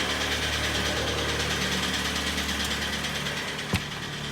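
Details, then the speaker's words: Kia Sportage G4KD 2.0 petrol, 101,000 km on odometer, northern car: very heavy steady knock at idle about three times a second; started knocking at a cold winter start after unsuitable oil; piston slap. "у нас Kia Sportage с охренительным стуком это прямо стук сильнейший пробег у нас по одометр 101000 брякает капитально"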